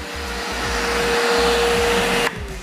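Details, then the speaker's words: Multipro 3-in-1 vacuum cleaner, 650 W, 10 L tank, blower mode with hose moved to top port: strong steady rushing roar and constant motor hum until cut-off; strong airflow blows table debris away, normal operation. "Ini anginnya kenceng. Kenceng anginnya ya. Aku arahin ke sampah di meja ya. Langsung terbang semua nih."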